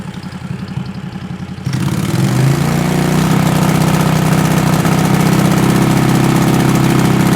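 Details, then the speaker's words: 20 HP Tecumseh twin-cylinder racing mower engine with dual 34mm PVK carbs, half, 3/4 and full throttle tests: half sounded decent; at 3/4 the note wavers, RPM rising and falling as if searching (surging). "3/4 throttle where it sounded a little bit searchy. Searchy means that it's go the RPM goes a little bit up and down like it's trying to idle or find the spot,"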